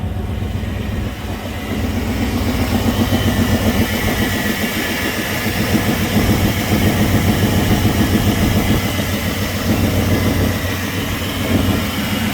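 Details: Truck engine just restarted after a distributor, cap, rotor and plug wire replacement, with the distributor still loose for timing adjustment: fairly even, deep idle with a steady low rumble and no misses or knocks. Normal idle.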